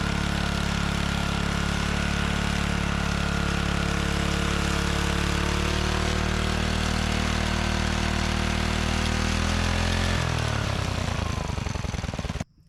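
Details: John Deere 3 hp tiller recovered from tall grass: small single-cylinder engine runs at a steady, even beat then winds down cleanly at shutdown; normal running.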